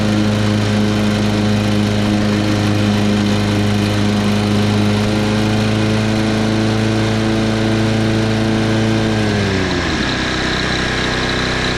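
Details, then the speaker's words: 2010 Toro Recycler Personal Pace 20333 mower, first start on previous owner's botched new carburetor (stripped screw, makeshift bolt): holds a high steady drone well above governed speed, dropping off near the end; overspeeding, cause not yet found. "Engine's got a very odd sound to it. actually sounds like it's revving too high, but it's running."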